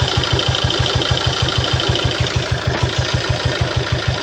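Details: 2012 Peugeot Partner B9 1.6 HDi 75 HP, almost 216,000 miles, leaking oil and smoking from oil cap: rough diesel idle with a steady heavy thumping knock over the clatter; knock later resolved after topping up oil and letting it sit.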